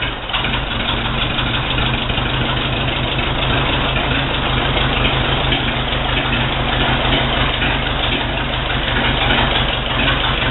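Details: Rebuilt Ford Model B diamond block engine with new pistons, rings, valve, head and pan gaskets, exhaust plumbed outside; steady even idle, smooth low rumble, no knocks, misses or hunting; healthy idle.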